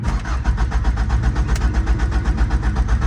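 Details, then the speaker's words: 1989 Honda CRX Si with swapped engine, after tune-up, valve adjustment and timing work: starter cranks steadily at about four compression pulses a second but never fires; crank no start, cause unconfirmed. "oh well still no start"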